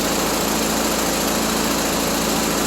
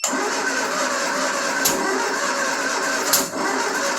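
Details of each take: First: 1974 Triumph Spitfire with rebuilt Zenith Stromberg CD150 carburetor, warming toward thermostat opening (about 140–150°): steady, even idle with smooth exhaust note, no ticking or knock; runs cleanly, though water neck is leaking and needs new gasket. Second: 1974 Triumph Spitfire after a Zenith Stromberg CD150 carb rebuild, timing being adjusted toward 15° BTDC: cranks with sharp, irregular catches but never picks up, burping back; two plug leads were swapped in the firing order.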